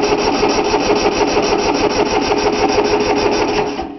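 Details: 3-cylinder Yanmar diesel cold start after repeated glow plug heating: rhythmic cranking about three beats a second that never catches, then stops; fuel lines weren't bled, so air in them, though it usually starts right up.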